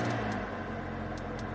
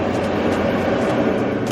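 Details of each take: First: Mercedes GLA 250 A/C blower motor on the passenger side, high fan speeds only: steady low droning hum with a rough vibrating edge; suspected faulty harmonic balancer on the blower motor. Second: Mercedes GLA / Infiniti QX30 cabin A/C blower after blower motor replacement for a humming noise, running on full speed: smooth, even rushing airflow with no wobble, rattle, hum or vibration; blower sounds healthy.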